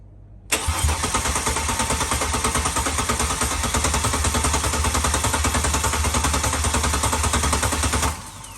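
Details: Ford Barra XR6 turbo engine (NA+T build) on first start after fitting FG turbo intake manifold, fuel rail, FG coil packs and BA/BF turbo MAP sensor: steady starter churning about seven seconds, no catch; cranks, no start.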